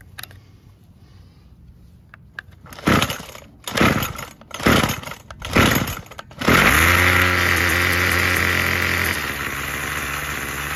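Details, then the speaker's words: Craftsman 27cc curved-shaft string trimmer 316.711170 after repair with new recoil assembly, fuel filter and fuel line, fresh fuel and primed: several short pull-start bursts, then catches into steady high buzzing idle, smooth even two-stroke note; fully functioning. "all right good deal all right guys well that does it for this one we got a fully functioning trimmer"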